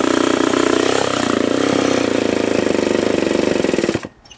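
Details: Remington SL-11A chainsaw after a duckbill valve was fitted to stop bar oil blowing back into the cylinder: fast, even two-stroke firing holds about four seconds, then cuts off cleanly; runs properly.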